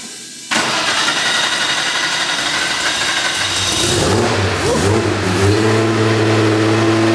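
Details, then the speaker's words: New 600+hp air-cooled Porsche 964 Turbo engine in an RWB 911, first run on a crude map with no cam sensors, idling without throttle: rough, uneven idle with harsh mechanical clatter; owners think the fan is hitting. "and that's idling without touching the throttle as well just about oh that's the fan hitting i think a little bit"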